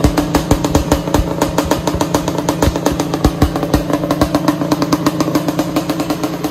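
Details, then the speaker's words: Suzuki Quadzilla LT500R two-stroke ATV, first start-up of project: sharp, even firing pulses at fast idle with crisp exhaust crackle, no knocks or rattles; healthy running. "is working oh this thing sounds so good holy crap that sounded awesome"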